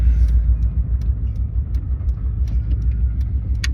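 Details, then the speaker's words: Misfiring Subaru Legacy bought for $500, engine a little low on oil, idling just after start-up: deep uneven rumble lurching a few times a second as if about to stall; rough idle from a cylinder 1 misfire. "It sounds like it wants to die. Yeah, it it does have a pretty rough idle."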